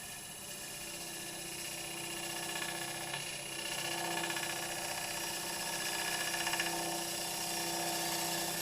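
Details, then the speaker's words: Lathe turning a wormy sycamore bowl, finishing pass: humming with a fine buzzing rattle from the cutting tool that rises during the cut, vibration coming through the tool; tool chatter, sounding better once it eases; sharp tools advised. "i've got a bit of vibration coming through the tool that sounds better there"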